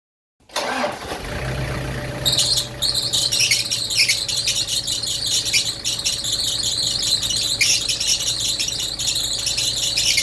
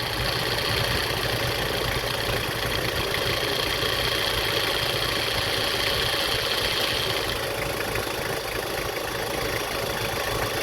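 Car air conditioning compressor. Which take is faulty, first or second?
first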